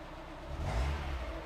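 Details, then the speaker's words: Mazda Miata after an oil change (old filter suspected clogged, causing earlier valve tick), cranked with cam angle sensor unplugged to build oil pressure first, then started: short rev settles into an even low rumble, valve tick much improved, no tapping; normal running. "so let's start this car up I can already hear that the valve tick is much better"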